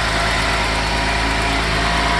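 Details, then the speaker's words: 1990 Mercedes 300SE W126 with M103 inline-six, just revived, at cold start idling steadily at raised RPM; an exhaust leak from the unreplaced centre section, new engine mounts fitted. "It's cold start, so it's higher RPMs."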